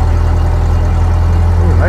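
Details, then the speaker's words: Revived 1930 Ford Model A Deluxe Coupe, last registered 1980, running after distributor reassembly with coolant added. Deep, even, slow four-cylinder idle with no misses or knocks, smooth, though oil remains in the muffler. "Nice and smooth. This thing sounds good."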